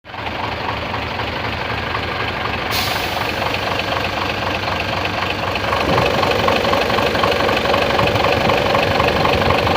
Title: Mitsubishi fuso super great 6m70 / knocking engine sound.,problem solved